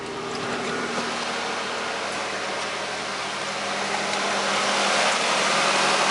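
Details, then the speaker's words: 1997 Toyota Camry after Denso starter rebuild (previously single click, no crank); first start-up catches right away and settles into a steady, even idle with no knocks or misses, healthy. "all right we got contact there we go he starts right up"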